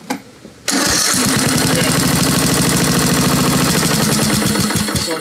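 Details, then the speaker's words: Craftsman LT2000 lawn tractor, Briggs 17.5 HP, before service (possible excess RTV, dirt in tank, battery maybe weak), on low throttle: cranks once, fires straight away, settles into a steady even idle without misses or knocks. Normal start and idle. "she seems to run well."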